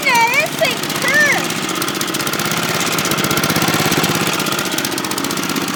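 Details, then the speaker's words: 1981 Kubota gasoline four-stroke rototiller engine just started and running at steady speed after a shout, quick even popping beat; exhaust already hot, warmed up fast, kill switch works; sounds good, normal running. "turn woohoo listen to this thing go kill switch works woohoo this thing sounds good exhaust is hot too that didn't take long to get warmed up"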